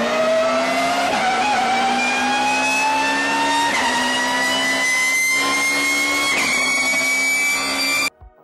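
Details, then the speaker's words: Motorcycle gearbox with straight-cut gears: whine rises in pitch as speed builds, falling back at each shift and climbing again as load passes to different gears; normal straight-cut gear whine, not a fault. "o ruído vai ficando cada vez mais agudo conforme a moto ganha velocidade durante as trocas de marcha veja esses vídeos onde é possível escutar o Assovio do câmbio com engrenagens de dente reto"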